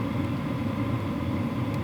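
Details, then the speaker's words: WIPPRO diesel heater on power level 3, output very hot: soft, steady fan whoosh with a low combustion rumble and no fuel-pump ticking. Normal low-power running. "So we're on power level 3 right now. That is super hot. No ticking. Amazing to me."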